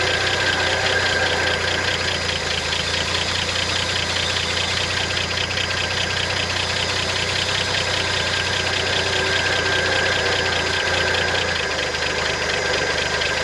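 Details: 1971 International Harvester 1110 pickup, original AMC 232 inline six, first start after carb rebuild and tune-up, before timing set: even idle, steady low hum, light regular valve patter, no miss or knock; alternator bearings seem fine, normal running.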